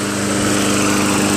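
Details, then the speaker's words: Craftsman Eager 1 22" self-propelled mower, Tecumseh 5.5HP engine, after carburetor rebuilt and governor adjusted back slightly, warmed after running a while with smoke dissipated: steady even hum at constant speed, no surging or misses; normal running. "I adjusted the governor. Took it back just a smidgen. And now it starts up really well. And it runs really well."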